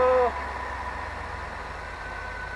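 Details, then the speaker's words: RV engine, dead cold start after new injectors and intake gasket replacement, no check engine light; brief louder start then steady low even idle with no misses or ticking; runs healthy. "there no check engine light that is a dead cold start and it sounds good"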